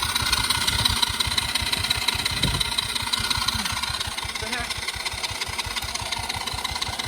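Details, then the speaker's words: Cheap Chinese kids quad sat for years, after fuel flow fixed: starter churns small engine regularly but never catches; crank no start, owner suspects lost spark though kill switch on. "Well, I'm gonna figure this thing out. We must have lost spark somehow."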